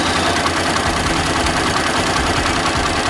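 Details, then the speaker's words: Warm Daelim small single after lubrication, idle adjusted down to about 1300 rpm (was over 2,000): a steady, even idle buzz with some road noise, no knocks or hunting; it settles fine and sounds good. "No brother yeah that's good sounds good"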